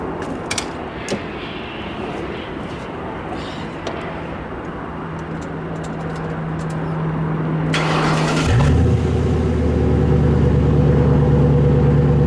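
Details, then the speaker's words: 2005 Mercury Grand Marquis 4.6 V8 with new H-pipe exhaust: starts near eight seconds, then deep, even, throatier, meaner rumble holding steady; healthy exhaust note. "yeah the H5 sounded a lot lot better now a little throater a little deeper a little meaner"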